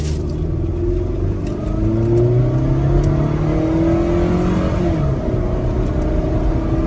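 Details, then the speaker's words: Toyota ACV30 after the spark plugs were replaced with Denso IK20: the engine pulls smoothly through rising revs under hard throttle. The earlier stumble at very high rpm is gone, confirming the spark plugs caused it. "โอเคจบนะครับสำหรับหัวเทียนใช้งานได้นะครับอาการกระตุกหายแน่นอน100%"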